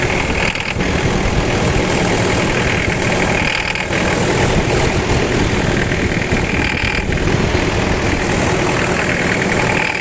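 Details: Toyota 1KZ diesel idling with a harsh, rattly clatter throughout; injector knock.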